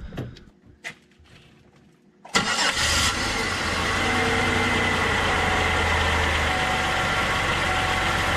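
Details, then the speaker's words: Engine during 3-wire oil pressure sensor test; starter catches quickly, fires and settles into smooth steady idle without knocks or ticks; engine sounds fine while gauge barely rose, old sensor found leaking and replaced; normal start and idle. "so now we can see it didn't hardly go up at all which is a bad sign for the sensor because the engine sounds fine"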